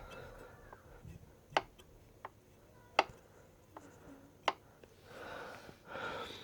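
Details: Suzuki Bandit 1250 front wheel turning slowly: sharp metallic front brake clicks about every one and a half seconds.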